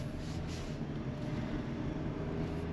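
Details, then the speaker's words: Hyundai HB20 automatic on a road drive: only low, even road rumble with no clunks or rattles. Shock absorber and mount were suspected, but the suspension now rides quietly. "eu já tava achando que era amortecedor e coxim que eles gostam né de dar problema nisso daí o bichinho ficou silencioso turma"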